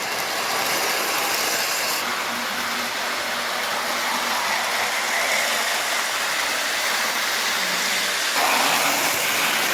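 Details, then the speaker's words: Postwar Lionel 2055 locomotive circling the track with a steady, even whir, no grinding or jerking, after replacing a worn armature cover plate whose loose shaft hole let the gears slip. "well changing that cover plate seems to have helped he seems to be running around the track a lot smoother now and not so jumpy and bumpy and hesitant"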